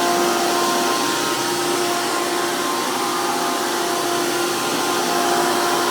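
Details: 2002 Hoover PowerMax II U5246-940 Elite upright vacuum with 12 amp motor and 20-blade fan impeller, after motor work: loud, steady high-pitched roar with constant whine, no surging or rattle; smooth, normal healthy motor.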